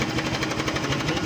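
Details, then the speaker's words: Honda Click 125 scooter, odometer about 24 km (speedometer not working) but looks like 80,000–100,000; fast metallic clatter over cold idle, continuous when cold, owner says it sometimes disappears, another mechanic blamed a bearing; worn cam chain tensioner rattle. "Ito maririnig niyo may lagutok pero nawawala rin naman daw."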